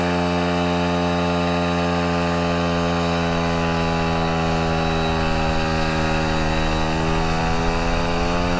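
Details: Vespa Ciao moped with brand-new, never-run replacement engine and new exhaust, ridden during break-in: steady, even buzzing two-stroke pulling cleanly under load, pitch climbing gently with revs, no misfire or knock; running healthy.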